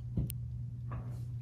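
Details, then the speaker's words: Omnipod insulin pod priming after filling from the vial: a few soft, separate clicks over a low room hum as insulin is pushed through to clear air. This is normal, takes 30 seconds to a minute, and ends with a beep. "but now you can hear it clicking and that's the pod priming itself making sure the insulin is you know all the way through the pod"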